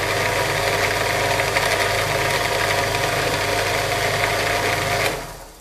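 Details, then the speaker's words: Modified Chinese bench drill: steady buzzy rattle while spinning, dying away at shutoff, a little better with the guard closed. Spindle bearings checked and sound good; belt over the plastic spindle pulley and guard sheet metal suspected. Pulley replacement considered. "I think it's the belt coming over this plastic pulley that's making that Rattle and maybe just the some of the sheet metal in this in this guard"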